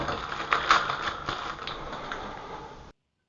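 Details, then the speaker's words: Moen Moentrol shower valve (no hot or no cold water) balancing spool, pulled from the valve and shaken: quick light rattling clicks as it slides freely in its sleeve; unstuck spool, normal, unlike the stuck one. "All right. So, you could hear the difference there between the one that is stuck and the one that is not stuck."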